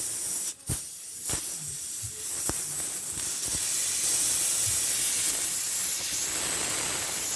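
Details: Tire punctured by a long screw at an odd angle, confirmed with soapy water bubbling: steady high hiss of air escaping fairly constantly through the puncture hole while letting air out before a plug repair.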